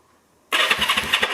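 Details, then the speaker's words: 1974 Honda CB360: starter catches instantly and spins the engine briskly with quick, even compression pulses while stuff blows out the exhaust; healthy, strong cranking. "look at that stuff's blowing out the exhaust i'll tell you what this one's got a better starter"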